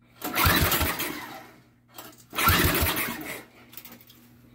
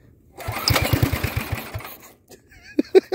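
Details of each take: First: Engine fitted to a go-kart, fresh petrol: catches quickly in a few strong bursts, runs briefly and restarts easily; good compression. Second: Go-kart pull-start engine, just taken out of an attic. It catches for about a dozen quick firing pulses, fades and stops within a second; it fires but won't stay running.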